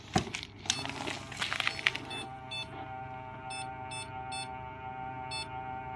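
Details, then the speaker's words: Computer that ran for days in a 75°F humidity-controlled server room, then about an hour and a half outside, gives six short irregular abnormal beeps over fan hum when plugged back in; heavy ice on a fan, which no longer spins. "So you guys can hear that. Obviously that's not normal beeps by any means."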